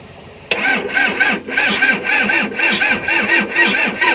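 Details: Komatsu engine losing compression: slow, even cranking chugs for several seconds without catching. Hard starting with long cranking; cause not confirmed.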